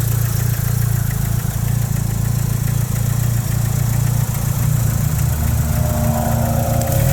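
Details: Mitsubishi 4G63 Evo 3 at idle: a deep, heavy, rapid knock. The cause was found to be a cracked and slightly melted No. 4 piston.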